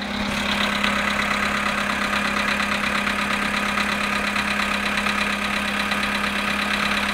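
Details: Volkswagen Polo sedan cold idle at -7.5 °C after sitting 14 hours: a fast, fairly even light ticking knock, about two per second, rides over the engine; origin of the knock is unknown.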